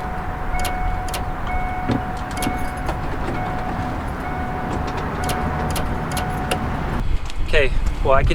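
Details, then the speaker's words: V8 on a cold, snowy morning, key cycled: steady fuel-pump hum and faint solenoid-like clicks but no starter cranking. Battery, starter or park/neutral safety switch were suspected. "the fuel pump hum but i couldn't hear any starter noise um slight clicking but it sounded just like solenoids from when i was cycling that key to the on position"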